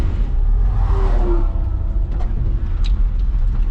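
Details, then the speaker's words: 1977 Datsun 620 pickup cruising on the road: smooth, even low engine drone with no misses, knocks or pops, runs and drives smooth like a sewing machine; normal running, shortly before it started backfiring. "Guys, I just can't get over how smooth this little Datsun is. As far as how it runs, drives, everything. She's just good."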